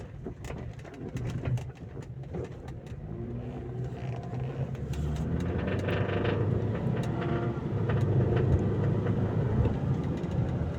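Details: Mazda CX-7 engine, revs climbing with a faint, quick, regular tapping over the exhaust note; knock from inside the engine suspected, cause not confirmed.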